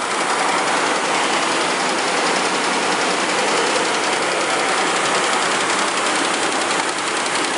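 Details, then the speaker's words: 2004 Mercury Mountaineer 4.6 V8, fast idle just after start while warming up, timing chain guides previously replaced: fast dense ticky rattle from the front of the engine; chain bouncing against aluminum cover or valve cover top. "And one thing you'll notice when I start it up, you'll hear this ticky rattle rattle, ticky ticky kind of sound."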